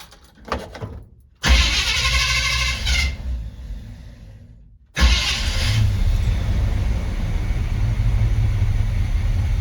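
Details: 1970 Chevy C20 V8 truck, low on fuel, not yet warmed up: cranks, catches briefly, then restarts and settles into a steady low rumble with an even beat, timing sounding right; normal running.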